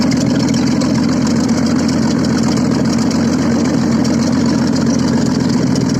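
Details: Audi first started after repair, running without exhaust: loud, raw but steady idle with even firing, no misses or knocks; engine runs clean.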